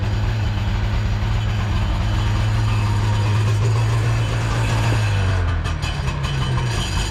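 Steady low-pitched two-stroke burble at idle, about four pulses a second, even and unbroken; engine running cleanly with cooling water flowing.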